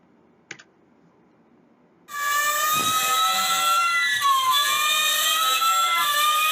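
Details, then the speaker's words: Gree GMV multi-VRF outdoor unit compressor. After a quiet start, a piercing, wavering high shriek sets in. Suggested causes are an internal mechanical fault such as a stuck rotor or shaft or wear, or possibly a burned coil causing reverse rotation. "you will hear the compressor is squaring right and actually is something wrong with the compressor we already know that and the reason is maybe the compressor rotor or the shaft is stunk or there's a mechanical wear"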